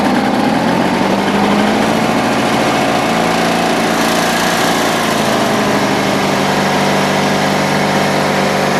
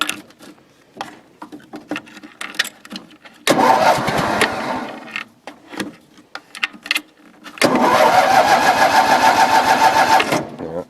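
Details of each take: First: Cold engine in snowy weather, just refueled and given more choke after stumbling. It runs at a steady high buzz with an even beat and no misses or hunting, settled and smooth. Normal running. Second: Cold engine, just refueled with a bunch of gas. It cranks, catches and stumbles unevenly, then settles into a fuller, steady run once more choke is given. Cold-start stumble from insufficient choke.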